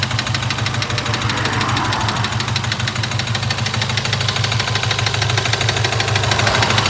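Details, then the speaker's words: Ford Mustang 2.3, knock began after a bang when accelerating from 120 km/h coasting; owner blames unqualified tune: sharp regular knock about three times a second, broken piston hammering in the bore. "Короче говоря мусор какой-то стук появился просто буквально ехал всё что-то стучит"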